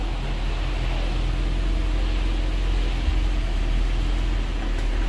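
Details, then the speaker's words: 2020-and-up Ford Explorer, after loosening and reseating the CV axle nut, shifting between reverse and drive: steady low idle hum, no metallic ting or pop on engagement; the popping is gone. Normal engagement into drive. "there's drive there's drive yeah the popping's gone"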